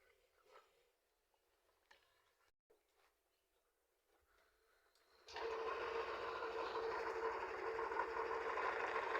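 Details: Yamaha N-Max after reseating an ECM socket for a check-engine light and clicking starter: quiet until the engine catches, then steady even idle buzz, no knocks or rattles; normal idle though check-engine light still lit.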